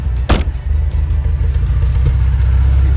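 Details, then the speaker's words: Porsche 924S at idle before a drive: low, uneven idle stumbling and surging, missing a little, hunting and lagging; temps and pressures look good, owner suspects carbon buildup, cause unconfirmed. "missing a little bit let's take her for a run you can hear it's hunting and lagging and leading and doing all kinds of stuff"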